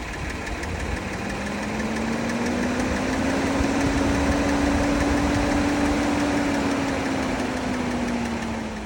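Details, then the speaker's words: 2024 Kia Telluride engine idling: a quick light ticking about four a second over a smooth idle. It occurs randomly, even in hot weather, and owners have complained of it. The mechanic suspects valve or upper-end noise; the cause is unconfirmed. "This engine has a tendency of ticking randomly, and it's something that owners have voiced concerns about. And it did actually happen to this test car."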